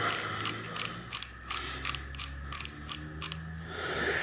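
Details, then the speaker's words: 2000 Trek 6000 with a Shimano FH-C201 freehub, sticky from old grease and dirt, being relubed with oil: crisp, even ratcheting clicks about three a second, pawls growing quieter as the oil works in; normal engagement. "you'll notice that the the pawls will get a little quieter as they get lubricated"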